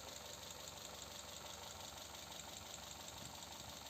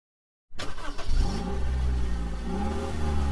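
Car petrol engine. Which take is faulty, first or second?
second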